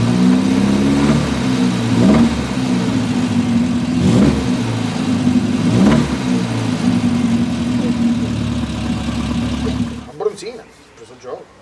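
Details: Triumph Spitfire petrol engine blipped every couple of seconds with a rough knocking run, then shut off: engine failure, worn rod bearing; the oil pan is removed next to diagnose it.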